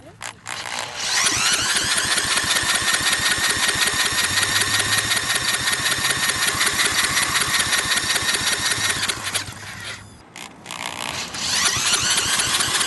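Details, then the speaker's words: Briggs & Stratton industrial small engine propped on a tiller: sharp rapid popping about 160 a minute that sags, nearly dies, then catches again; it runs briefly on starter fluid but cuts off, even after adding a priming fuel pump and cleaning the carburetor bottom. "i've tried everything spraying starter fluid in there it of course it runs for a second but then cuts off"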